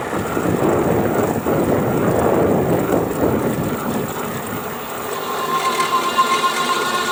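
Steady drive noise with a fast, uneven rattle of about four per second at mid power; source unknown.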